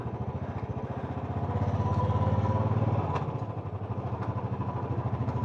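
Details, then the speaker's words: Royal Enfield Classic 350 riding: single-cylinder thump with a light rhythmic tapping from the front wheel that seems to stop at higher speed; rider suspected front mudguard rubbing tire and bent it away, cause not found. "There's a bit of a tapping noise coming from the front. seems to uh stop when you speed up."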